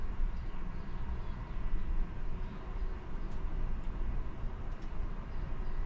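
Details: 1982 Catalina 30 marine diesel first start after replacing the blocked exhaust manifold, refitting thermostat and water pump: low, steady rumble with an even beat, no knocks or misses; normal idle.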